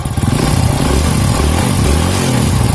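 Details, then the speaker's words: Rebuilt Honda Grand engine (FIM piston, Shogun valve springs, Win 100 camshaft, stock intake), revving: crisp up-and-down revs, deep even exhaust pulses, no knocks or rattles; feels lighter, slightly more power, still smooth. "lebih ringan gak saya rasa sekali lebih ringan khas Ya lumayanlah Ya lumayan daripada standarnya ini rasanya"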